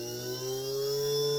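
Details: JUGS BP-3 3-wheel controller board 180-2406-0, after repair of a faulty motor output channel, driving a non-original test motor: clean, steady whir rises slightly then holds even, no rattle or stutter; repaired channel runs the motor properly.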